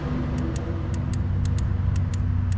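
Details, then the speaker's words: 2011 Chevy Tahoe with white smoke, cylinder 3 misfire and injector 3 control circuit code, engine off, key on: sharp irregular clicks as injector 3 fires when it should not, trigger side grounded. "I plug this in, the injector is actually firing."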